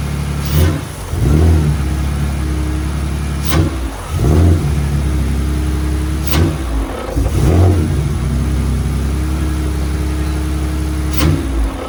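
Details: BMW E46 drift car, bogging on throttle even when warm and sometimes stalling, tested after a vacuum-leak smoke test; idle with sharp blips, revs climb sluggishly and fall back; injectors suspected, cause unconfirmed.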